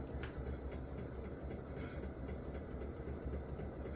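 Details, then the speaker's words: Office ceiling fan running on high: a dull, uneven knock about four times a second over a low rumble. The motor bearings are worn out, and the fan coasts to a stop quicker than it used to. "Knock knock knock. Yep. Those bearings are done for"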